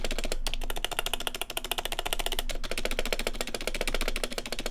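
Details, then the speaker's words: Fast uneven typing on a prebuilt keyboard (e.g. Ducky One 2 Mini, Corsair, Logitech type) with stock stabilizers: hollow, tinny clack and a loose rattle on the bigger keys; stabilizer rattle. "There's a ton of rattle you can hear, right? It's not a good sound. This is probably what your keyboard sounds like."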